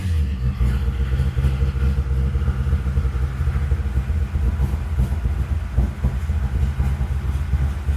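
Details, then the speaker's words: 1955 Chevy V8 at first fire, cold, with good oil pressure: it won't run at all once the throttle is released, so the owner raises the carburetor idle. Uneven, lumpy rumble held up on the throttle; idle speed set too low for a cold engine. "Yeah. I mean, it won't run at all as soon as I let it off. All right, I'm going to idle it up a little bit."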